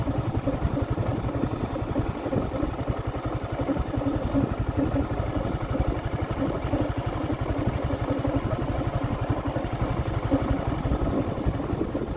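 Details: Yamaha Sniper 155R 2023 motorcycle, about 5 months old, idling: steady rattly clatter about four times a second over the exhaust from inside the engine; mechanic could not find the source; cause unknown.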